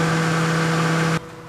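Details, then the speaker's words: Radiator fan hums steadily with a low drone, then stops abruptly, running with ignition key on and engine not yet started; check engine light on at start. Faulty coolant temperature sensor (ECT/WTS) triggering the fan. "Hah fan nya bekerja padahal mesinbelum hidup pada posisi on fan sudah bekerja ini kondisi yang terjadi"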